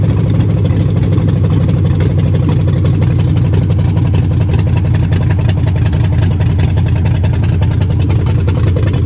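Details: Mopar 400 big block V8 running with a heavy, deep, steady pounding under the exhaust rumble: bad bearings knocking in the bottom end.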